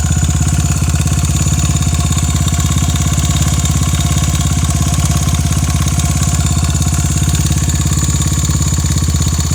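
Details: Honda Ape 82 engine at steady idle with a fast, fairly regular ticking or tapping over the engine note; owner asks whether the noise is normal, cause unclear.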